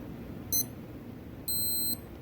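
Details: Casio W221H countdown timer set to 1 minute reaching zero: brief high chirp then a steady high beep about half a second long; countdown alarm working.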